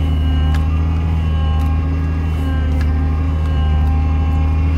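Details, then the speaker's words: 2002 Acura TL-S, 317,000 miles, cold engine idling: loud thin whine over the idle, shifting as the steering is turned; power steering pump drawing air, blamed on a hardened inlet joint O-ring that reseals once warm. "So you can hear that loud whine coming from the engine, and you can also kind of hear it when you turn the steering wheel."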